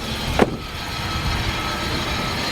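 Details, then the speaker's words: Infiniti QX56 from Copart, hood open at idle; loud steady scraping hiss over even idle from accessory drive; owner suspects water pump, idler or tensioner. "you can definitely hear that noise. I think it could be a water pump. It could be an idler, a tensioner."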